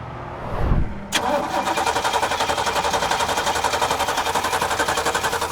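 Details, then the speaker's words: 1986 Chevrolet six-door square-body pickup (carbureted), on the road with vapor lock trouble and a used replacement fuel pump: even starter cranking, about two beats a second, never fires. The pump won't pick up fuel and the battery is dying. "Our used new to us fuel pump doesn't want to pick up fuel. Um, and the battery is dying."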